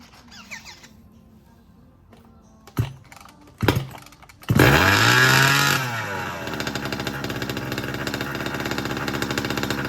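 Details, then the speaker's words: Small two-stroke 36 engine with new piston and ring, new pipe and pull start, fitted to a 5T, run on the ground to bed in the ring; a few pulls, catches, revs with rising buzz, settles to steady even running. "So there you have it. She breathes."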